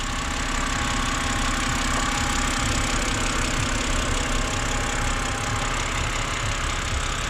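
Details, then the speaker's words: Just-bought BMW E92 idling at start-up: steady, smooth idle with a faint light tick at roughly idle rhythm, nothing loud; owner suspects hydraulic lifters ticking slightly, not confirmed; otherwise runs very evenly and quietly. "Спецы, сразу пишите, что вы слышите. Я слышу, видимо, компенсаторы немного цикают или что это."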